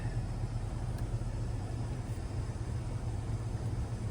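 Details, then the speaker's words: 2024 Chevrolet Silverado 2500HD Duramax on 35x12.50 tires and negative-offset wheels, no lift, after a mud flap delete and trimming. Reversing at full steering lock gives a low even engine rumble with no tire rubbing against the liners. "Cranked all the way. Getting nothing."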